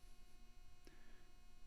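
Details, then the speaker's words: Constant faint low electrical hum, no other sound, recorded raw with no audio cleanup on a low-cost desk audio setup; buzz in the microphone line from monitor interference. "i hate that buzz that was at the start of the video i really hate that buzz kind of you know makes me twitch a little bit i hate audio interference"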